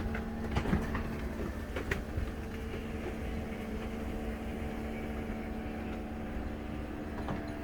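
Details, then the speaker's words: 2004 Country Coach motorhome HWH slide-out after repair, slide back in its tracks and running out, further adjustments still needed: smooth, even motor hum at constant pitch, no clunks, scraping or binding, much better than before; normal slide-out operation. "oh yeah that sounded good so much better than what it was doing before"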